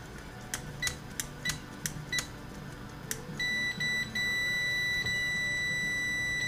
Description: After checking the DC resistance of the On/Off Switch & Volume Control, I see an intermittent issue that needs attention.